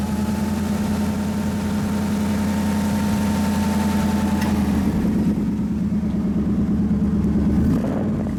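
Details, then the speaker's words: 1969 Ford Mustang Fastback restomod with a brand-new, basically 2015 Ford crate V8 and Bosch 302 intake kit, idling with the hood open; steady, even, low smooth beat with no knocks, ticks or misses. Normal idle. "It's basically a 2015. It's a brand new crate engine, and then Ford offers the Bosch 302 intake kit as an option, which we installed."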